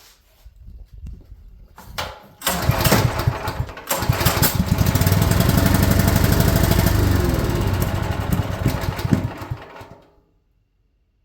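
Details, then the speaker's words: Champion generator sitting for years, first pull-start attempt on half choke with oil and fuel: fires roughly for several seconds with uneven popping, then dies; seems very flooded, owner suspects the spark plug, not confirmed. "Okay, I guess it's getting fuel. It's like it was very flooded out."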